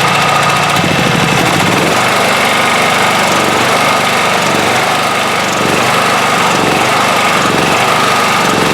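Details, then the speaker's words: 1997 Honda EB5000 generator after fitting a cheap non-OEM carburetor to fix a no-start, running in auto mode with a 1500-watt load applied: steady, even drone that picks up speed under load and holds smooth; normal run under load. "all right so it's running right now on uh auto we've got this thing on auto right let's see turn this thing on 1500 watts"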